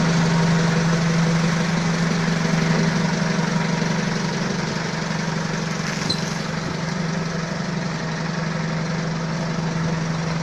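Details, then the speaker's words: Balkancar forklift diesel after repair (engine, clutch, brakes and running gear rebuilt), glow-plug preheat fitted, hour meter not working: steady, even diesel idle with a firm low hum, no knocks or misses; loader in good, healthy condition. "Ну так живой, да, состояние? Я смотрю, вроде свеженький погрузчик. Так что еще послужит хозяину, ох, верой и правдой."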